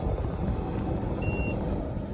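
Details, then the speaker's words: 12,000 BTU Midea Duo portable inverter air conditioner in a minivan, running on 120 VAC from an inverter: over a steady low rumble, one short high-pitched beep of about a third of a second as the power button is acknowledged at shutdown. "And there again, I powered it there, but I didn't hear the beep, and I like hearing the beep."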